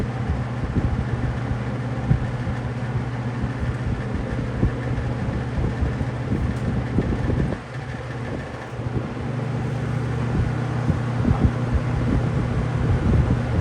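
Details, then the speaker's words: Robeson box fan: steady low motor hum with an uneven buzzy rattle at medium speed, source unknown; the rattle goes away when switched to high. "Whatever that rattle sound is, notice how it goes away when you put it on high."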